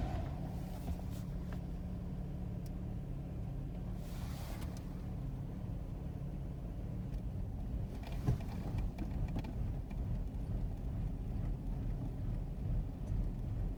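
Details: VG33E petrol V6 with a knock sensor code: low idle stumbles unevenly, the beat wavering and loping; rough idle attributed to the knock sensor fault.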